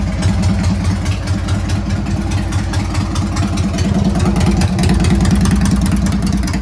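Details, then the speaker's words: Harley-Davidson Sportster 883 converted to 1200 with Wiseco pistons, rings and cylinders, first start during heat cycle at 79 degrees, 105 on the pipe: deep, lumpy, even V-twin idle with no odd knocks, sounding healthy. "Wow, don't sound bad. I'm supposed to rev it. I'm supposed to be doing a heat cycle. 79 degrees. 105 on the pipe. Sounds good. Sounds good."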